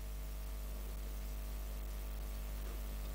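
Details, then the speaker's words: Experimental balanced microphone preamp, microphone ground touched to induce hum, common-mode rejection trim pot turned: constant low droning mains hum under faint hiss, rising off-centre and falling near midpoint; balance trim off. "If I touch the microphone's ground to try to induce hum into the system, if I turn the potentiometer this way, you can hear the hum increases. Turn it more towards the middle, the hum diminishes."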